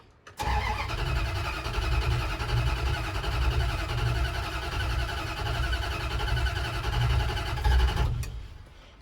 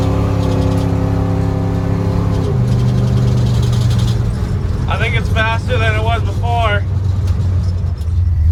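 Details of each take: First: 1977 Dodge D200 360 V8 with new intake and freshly rebuilt carb, distributor vacuum line plugged; several seconds of steady even cranking with low thumping to get fuel into the carb, then engine starts to catch; long cranking before start. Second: 1977 Dodge D200 360 V8 with new intake and rebuilt carb, no kickdown linkage, water neck leaking coolant; on a test drive the rumble revs up, drops sharply and settles into an even pull with no stumble or backfire: healthy throttle response.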